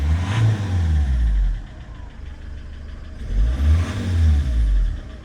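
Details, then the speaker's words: Citroen C5 estate with code P0215 that starts reluctantly when cold: rough, uneven revving as the engine is blipped, then plumes of white smoke at the exhaust. A leaking injector is suspected. "I mean, it doesn't run the best. Yeah. at the moment. Yeah. Looks terribly. Sound like it's going to blow up, but then it's cleared."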